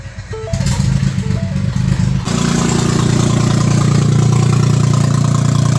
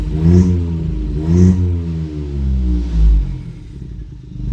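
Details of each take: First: Ford EcoBoost engine after timing reassembly without timing tools: long, labored cranking before it catches and settles into a steady run; hard start with cam/crankshaft correlation fault. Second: Ford EcoBoost after cylinder head replacement and timing work, following an earlier hard start with no crankshaft correlation traced to mixed-up connector pins: the engine catches cleanly and rises and falls through smooth blips with no misses or clatter, a normal start and rev.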